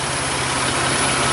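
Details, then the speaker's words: 2004 Mercury Monterey with newly replaced A/C compressor (old one gave no suction, low side high, no cold air), A/C on max after recharge; steady idle with a smooth compressor whir, no knocks or squeals, blowing cold. "New compressor, compressing away."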